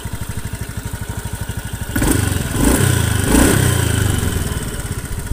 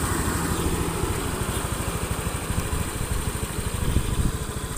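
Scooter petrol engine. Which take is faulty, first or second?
first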